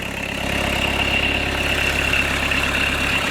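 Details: Fiat Doblo 1.9D converted to a mechanical SDI injection pump, idling after cam timing was corrected from one tooth late; a smooth, unbroken diesel clatter with a constant tone on top and no knock or miss, idle a bit high: a healthy idle.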